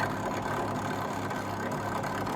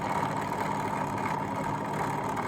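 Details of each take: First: Fagor Innovation FUS 6116 IT integrated washer dryer during drying test after refitting element connectors: loud, steady rushing whirr with a roughness repeating about three times a second; the drying fan sounds terrible. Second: Fagor Innovation FUS 6116 IT integrated washer dryer: motor cooling fan, previously stuck, possibly sticky bearings, freed by a push. Now an even, constant motor hum with a steady mid tone, no scraping or grinding, drum turning freely; normal drum rotation.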